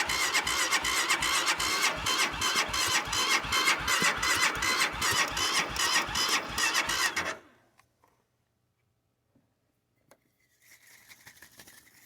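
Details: Cold start attempt: fast regular cranking at roughly two and a half beats per second for seven seconds, never catches, then silence; engine cranks but won't start.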